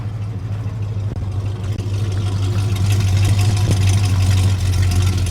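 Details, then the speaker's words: Truck ("old blue") just cold-started: steady low rumble that settles and slowly rises in level, running evenly; very cold-blooded but sounds pretty good. "does sound pretty good. Ah, come on, old blue. Stay running. Very, very cold bloodooded."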